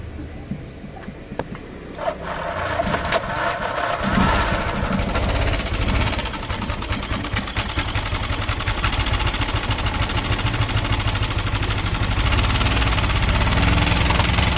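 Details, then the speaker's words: Yamaha NMAX scooter that ran low on engine oil: fires and settles into a harsh, uneven rattling clatter at idle with little power when revved; failed intake rocker arm bearing and worn cam. "suaranya seperti ini ya teman-teman Kasar banget dan di gas juga kurang tenaga ya teman-teman"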